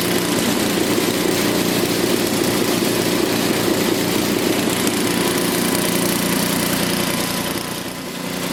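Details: Small single-cylinder engine whose muffler glowed cherry red from running too lean, after richening the carburetor: steady, even fast running with no misses or surging; sounds healthy.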